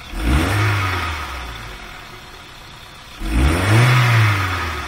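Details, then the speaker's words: VW A3 2.0L (Mk3 Golf/Jetta platform, possibly automatic) lacking power: idles fairly nicely, but throttle blips climb briefly then sag and want to cut out, won't pick up with throttle held; exhaust restricted by plugged catalytic converter with broken pieces inside. "wants to it wants to cut out it eventually gets to the point where you can hold a throttle open and it just won't pick up anymore and that's because the exhaust is restricted"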